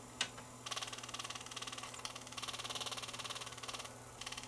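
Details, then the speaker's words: Panasonic DVD-RP56 player (tray wouldn't open), screwdriver held near the disc clamp: quick bursts of fine buzzing rattle over quiet motor hum as the disc wobbles, worse toward outer tracks; owner suspects the spindle motor, possibly the disc clamp, causing read failure. "we'll hold it down close to the uh the disc clamp and you'll might be able to hear it as it vibrates"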